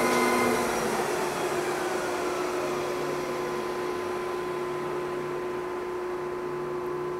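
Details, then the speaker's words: Lion 23MT lathe spindle at 1000 rpm after break-in oil change at about 35 days, then braking to stop (oil-bath clutch and brake); steady tones ease down smoothly, no grinding or chatter, brake needs no adjustment; normal spindle braking. "the braking is pretty good i don't need to adjust the brake"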